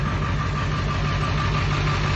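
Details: Ford 7.3 Powerstroke diesel idling after a no-start from running out of fuel, restarted by pressurizing the tank with an airline and letting the fuel pump prime: steady, even idle, smooth low rumble, faint tick overlay, no misses; running normally.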